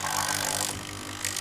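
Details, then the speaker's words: Siemens EQ6 S100 espresso machine after owner's own repair (new ceramic valve and pump membrane), not frothing milk: pump hums with a strained buzz and harsh hissing surges but no water flows; water won't pass the scale-clogged heater. "there are suspicions, the water does not want to pass through the heater."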